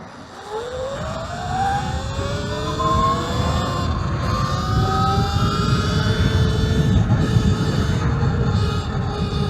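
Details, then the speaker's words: Talaria XXX Pro electric moto riding over rough terrain: the motor whine rises and falls with speed, with an irregular, annoying rubbing noise that the rider says comes from the rear tire, not the front. The cause is not confirmed. "You hear that? That's annoying. So it's the rear tire doing that, not the front"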